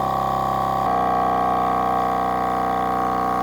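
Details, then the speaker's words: Milwaukee M18 cordless air compressor on a weak battery: motor whine drops in pitch and stays lower as it bogs down under load, working much harder; it reaches only 90 PSI instead of 140. "you can tell by the frequency it's really starting to bog down here, so that compressor's having to work quite a bit harder."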